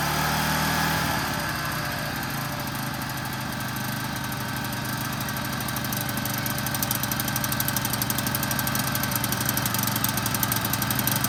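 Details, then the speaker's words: Toro Z5000 TimeCutter zero-turn mower with Kohler Courage 21 engine, free and of unknown condition, running with blades and drive not engaged: steady hard-revving drone with no dips, running wild far too high; throttle seems stuck, cause unconfirmed, engine overspeeding. "It just seems like this thing is kind of running wild. And maybe it's just 0 turns. Like it's spinning too high? Yeah, too high, or like it just."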